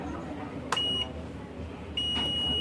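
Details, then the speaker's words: CRT colour TV (assembled, China kit) with picture OK but crackling, humming distorted sound; steady high-pitched beep cuts in twice on audio input check with meter in buzzer mode; beep shouldn't be there, audio section judged shorted. "तो audio में यह beep की आवाज आ रही है आप सुन सकते हैं बी की आवाज इस ऑयो में बीप की आवाज नहीं आनी [संगीत] चाहिए ठीक है यानी ऑडियो सेक्शन शट हो चुका है"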